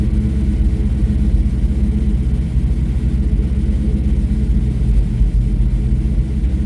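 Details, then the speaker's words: 7.3 Godzilla V8 engine swap, started after an ECU hardware update, TPS auto-set and a calibrated throttle body: a deep, even rumble holds steady with no knocks, misses or stumbles, normal running. "Not bad. How good did that sound?"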